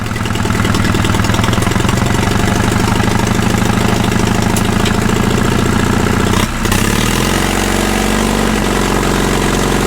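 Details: Caterpillar D2 (#5J1113) diesel at low idle on first start after full pony motor and diesel rebuilds: slow even chug, steady firing on all four cylinders with no knocks or misses, settling cleanly after a brief change; sounds pretty smooth.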